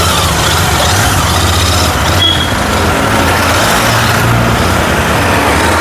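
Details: Royal Enfield GT650 twin after repair of starting, misfiring and stalling complaints, blown fuse replaced: steady even idle beat with no stumbles or missed firings; running cleanly.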